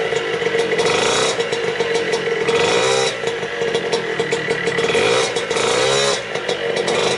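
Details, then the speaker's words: Vespa Piaggio Ciao 65cc two-stroke moped, first start after a year, just after reinstalling the engine and exhaust: a buzzy engine revving and dropping cleanly with no misses or rattles. No fuel or exhaust leaks; normal running. "so so so finally after a very long time the ciao is running again the engine is in there from what i can see there is no really big leaks no fuel leaks and no exhaust leaks"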